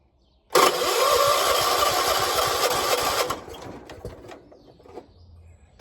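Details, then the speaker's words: 1976 John Deere 300 hard start in the morning, battery dead and jump-started, owner says it has gas; starter churns steadily about four turns a second for nearly three seconds then stops without firing; cranks but won't start. "Why ain't you starting? Got gas."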